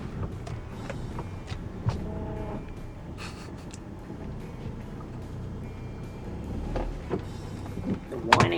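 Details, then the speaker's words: Honda Odyssey RB1 with over 386,000 km at idle after resealing the power steering line O-ring with plumber's tape: low, even rumble, power steering pump whine now gone. "let's see if it has made any difference immediately less noise"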